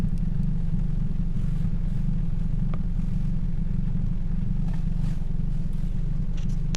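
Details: 2007 Toyota Yaris 1.5L 1NZ-FE four-cylinder; smooth, even low idle rumble with no stumbles or missed beats, running clean.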